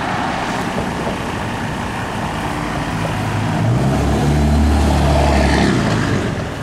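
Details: 1987 Mercedes-Benz 300D diesel on 100% vegetable oil, original muffler and silencer before the swap: an even diesel clatter over a deep exhaust rumble that swells slightly midway; normal idle.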